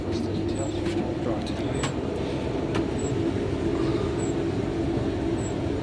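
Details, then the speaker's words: Hotpoint TL51 tumble dryer running with a steady rumble and a faint high squeak or chirp repeating about every second. "Today I'm showing you the squeaking sound."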